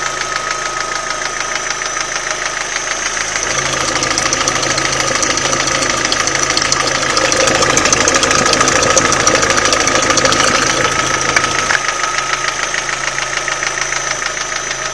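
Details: Old Opel Astra G petrol engine at idle with a quick, steady knock about three per second over the running sound; cause unidentified.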